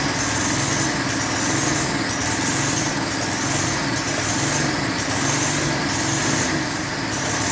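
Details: Lawn edger with 3.5 HP Tecumseh engine after a properly installed air filter: fast, even buzz with no misses or surging; running smoothly and healthy.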